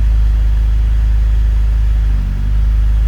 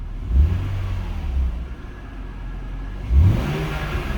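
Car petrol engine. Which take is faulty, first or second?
first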